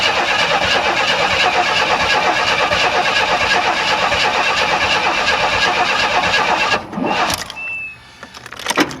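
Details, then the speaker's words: 1994 Chevy Astro Van, first start of a remanufactured engine after resetting timing by one tooth: the starter grinds for several seconds with uneven kicks that push back against rotation, never catching. Owner suspects ignition timing is still too far advanced. "cuz it it it sounded like when it did fire it wanted to push it back not it didn't want to go clockwise it wanted to go counterclockwise on the crank shaft so that means it's still too advanced"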